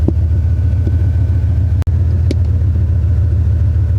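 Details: 2001 Dodge Ram 1500 5.2 V8, long-sitting, after new spark plugs, fogging oil and gas tank repair: deep, steady low rumble at idle, even beat, no knocks or misses; idling cleanly, no fault codes stored.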